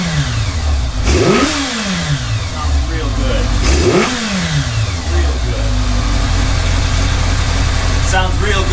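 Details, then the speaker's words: 1982 Kawasaki GPz550, warmed up, after changing pilot jets from 34 to 37: crisp throttle blips climb and fall cleanly, returning straight to a steady idle with no hunting; previously hung at 4000 rpm. "so we went from a 34 to a 37 pilot jet and all of a sudden we don't have that searching issue comes right back down off my idle didn't take long to heat up either or warm up"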